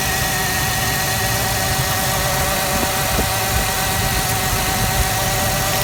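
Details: 1996 Ford Explorer Sport 4.0L with code P0303: steady idle with a slightly lumpy, uneven beat underneath; cylinder 3 misfiring and not getting spark, plug wire swap made no change, pointing to a bad spark plug.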